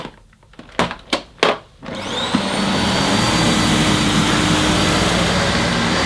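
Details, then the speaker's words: Dyson Ball Animal Multifloor on deep-pile Saxony carpet, most intense setting: handling thumps, then a loud steady roar with a strained, rough edge as the brush roll labours without cutting out. "Well, it's not actually cutting out this time, but yeah, it's a Oh, it's a two-handed job. I can hear the the brush roll making a funny noise, but yeah, it's [Music] doable."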